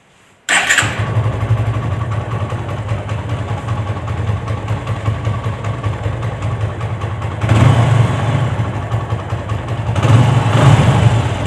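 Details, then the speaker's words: TVS Apache engine after engine rebuild: catches at once, settles to steady idle, two clean throttle blips, no rattle or knock; earlier "bad-bad-bad" noise gone, normal start and idle. "आवाज नहीं है बड़ बड़ बड़ बड़ करने कर रही थी जो पहले थी कर दो [प्रशंसा] कर दो कर दो अच्छा ठीक है भाई यह काफी अच्छी साउंड हो गई अब"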